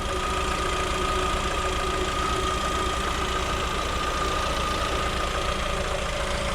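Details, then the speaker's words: New 2021 Lada Vesta, microphone under the hood at idle, adsorber detached from its mount to stop an earlier knock: smooth, even idle with steady hum and faint tonal whine, no knocking or rattling, a healthy engine. "В общем, шум двигателя замерили. Все отлично, все прекрасно."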